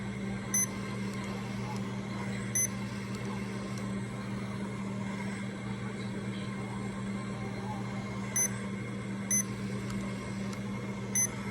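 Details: Remodulin infusion pump self-tested, reserve volume 100, air detector off, priming its line: quiet steady hum with short high beeps spaced seconds apart, normal operation.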